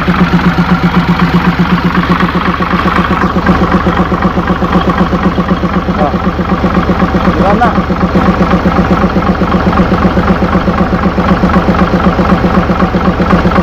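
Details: Mitsubishi 6M70 double-EGR diesel idling two hours after engine rebuild (piston rings, bearings, gaskets, cylinder head) done twice for blow-by: steady, even idle, regular firing around four per second, constant low tone; smooth and healthy, problem reported solved.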